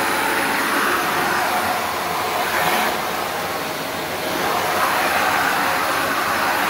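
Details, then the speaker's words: Shark NV355 vacuum, about three years old: loud, steady rushing roar swelling slightly as nozzle moves; strong, even suction airflow from healthy motor. "all right listen to that flow [Applause] sounds like a lot of flow"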